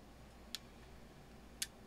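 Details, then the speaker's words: Elecraft K2 ham transceiver kit at first power-up mid-build, RF board not yet populated: two crisp single band-relay clicks about a second apart in a quiet room as the band is stepped back to 40 m; relays switching normally. "so there was a click every time so you want to make sure the relays are actually changing the band plus changing the frequency at the same time"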